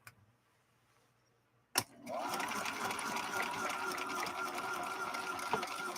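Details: Viking Husqvarna 3230 sewing machine, rescued after smoking, sewing with the slow gear engaged at 1/5 of regular speed: starts into a steady even whirr with regular ticking about four per second; healthy machine running geared down.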